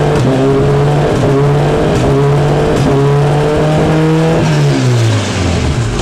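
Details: Kawasaki Ninja after fitting a Sprint air filter, fresh plugs, a Power Commander and a quick shifter, before a dyno tune: crisp split-second cuts at each upshift, pitch stepping down cleanly. The quick shifter works properly; minor adjustments are still planned.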